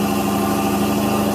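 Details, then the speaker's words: 1970 Cadillac Eldorado with three-step carburetor, proper cold start with the choke set by one accelerator press; steady, even fast idle with a constant low hum and no misses, ticks or knocks, normal on choke before a second press drops the idle. "So if I press the accelerator again, the engine idle will come down."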